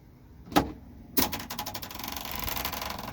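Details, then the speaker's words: Mercedes G-Wagon W463 sunroof: after clicks the roof motor runs with fast, uneven metallic clatter, like a motor missing a gear; sunroof drive cable rattle, fixable without tools. "kind of sounds like aliens in the roof sounds like a motor might be missing a gear or something"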